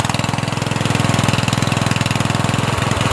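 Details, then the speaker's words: Murray 14.5hp 42-inch lawn tractor, before repair: won't shut off from key because the solenoid ground was miswired. Slow uneven putter about three pulses a second, stumbling as it keeps firing after shutoff; magneto poorly grounded. "you turn it off it's putters almost like it wants the brown but it's not grounded well"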